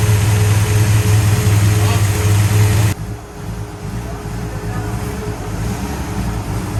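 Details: 1966 Pontiac GTO convertible V8 after repair of white smoke from water getting into a cylinder: strong even rev holds, then drops to smooth idle with no misses or sputter; sounds good, slight blue smoke put down to exhaust contamination.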